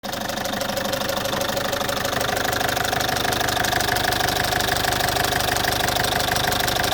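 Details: Citroen C5 2.0 HDi 100 kW diesel idling: loud with a fast even tick about three per second over the clatter, owner suspects around the injectors; all four injectors repaired, new piston rings and valve work 15,000 km earlier; source unknown.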